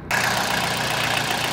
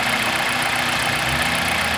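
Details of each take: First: 2000 Toyota Celica GT 1.8L VVT-i with low oil, oil light flickering, P0300 then P1315 and pending P0304: rough idle with a dry, busy valvetrain clatter from oil starvation; topping up the oil cured it. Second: 2000 Toyota Celica GT 1.8L VVT-i after adding about two quarts to the low oil: a steady, smooth idle hum with no ticking or knocking; the valvetrain noise is cured and the idle is normal.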